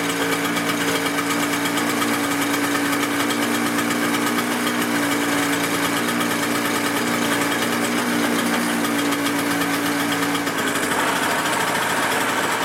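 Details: Toro CCR 2000 snow blower two-stroke, season prep start after fueling, priming and choke: high buzzy note running steadily at constant speed without misses, shifting slightly near the end; healthy running.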